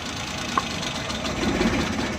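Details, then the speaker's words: 2017 Suzuki Bolan (Ravi) Euro van misfiring heavily; pulling one spark plug wire at idle makes running uneven with irregular knocking, showing that cylinder fires; misfire from disconnected spark plug wire. "जब आपने प्लग की तार उतारी है तो इसने नॉकिंग शुरू कर दी है।"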